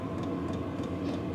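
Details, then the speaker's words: New Vevor diesel heater warming up, outlet air climbing past 91 degrees: steady whirring fan getting louder, with soft rhythmic fuel pump tick over a low hum, noisy on startup; normal fan spool-up. "You can see it's steady climbing, and so is the fan. I guess you guys can hear the fan."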